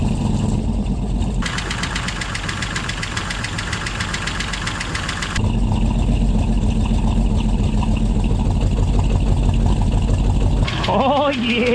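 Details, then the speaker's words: 1959 Oldsmobile Dynamic 88 V8, barn find sitting for years, first start on starting fluid: runs a bit unevenly with light fast tapping over idle; hydraulic lifters noisy, expected to quiet down as oil pressure builds. "buddy CL lifters are a little noisy but they'll quiet down you got it going huh"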